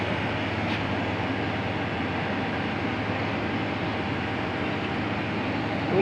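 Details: 2.5 HP aircon compressor that would not start, running after a loosely plugged compressor wire was secured: steady low hum with an even, unbroken run, no knocking or stutter; lines begin sweating and cooling.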